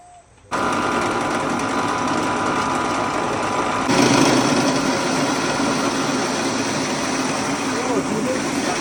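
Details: Rice mill (Sam Yot) started after replacing the broken motor bearings and fitting a No. 3 shim flange: it starts and settles into a steady, even rushing run with no knocking or grinding; it sounds healthy.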